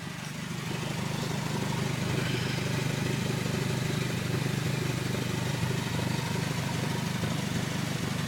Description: Exhaust leak on my 03 Civic Si.